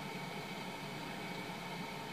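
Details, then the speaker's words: Basic household refrigerator bought new November 2007, after replacing defrost timer with SUPCO solid-state timer, in cold cycle: even steady drone with faint low hum, no knocks or rattles; compressor running normally, timer working. "hear that it's running so it's now in the cold cycle it's going to come down to temperature but the the timer is doing its job"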